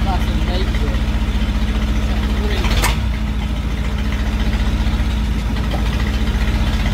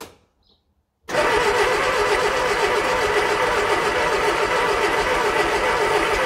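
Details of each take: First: 1968 Bedford CA Smiths ice cream van petrol engine, first start after sitting, with some choke; steady, even low putter at idle, regular firing with no misses, knocks or rattles: it runs well, a normal idle. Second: 1968 Bedford CA ice cream van petrol engine, long-stored, first start attempt: steady cranking at about four turns a second with occasional irregular pops back; trying to catch but not yet starting, distributor timing to be advanced.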